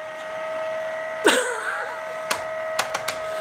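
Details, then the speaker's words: Electric heater fan in a cold workshop squeals steadily from switch-on, a high single-pitch squeal over the fan hum; dust buildup on the fan throws it out of balance, and blowing it out with an airline quieted it. "what happens with the dust builds up on the fan and throws out out of alignment at balance"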